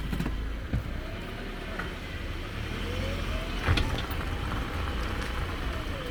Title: subaru impreza 2014 (165k km/100k miles) passanger side suspension clunking noise